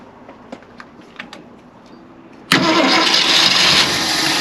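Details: 1965 Ford Galaxie 500, after many repairs: quiet clicking, then the engine bursts into loud ragged running as it catches and wants to start. The gauges show coolant temperature, voltage and oil pressure.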